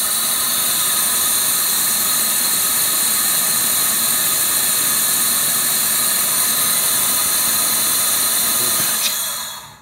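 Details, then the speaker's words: Toyota RAV4 2.0 AZ-FE, engine not hot, overheated after coolant loss: steady high hiss as air fed into cylinder two blows into the cooling system toward the radiator; hydrocarbons in coolant; blown head gasket, cylinder two. "what we've done there is that air two cylinder number two and it's blown cooling down to the radiator so our problem child is cylinder number two"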